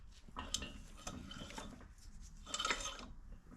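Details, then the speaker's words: Yanmar-clone 418cc diesel for a Gravely C10A repower, turned slowly with the cowling off: irregular metallic clinks and scrapes from loose screws and hardware in the flywheel housing, likely magnetized to the back of the alternator. "the reason I took the cowling off in the first place is there was some screws and stuff that got in there"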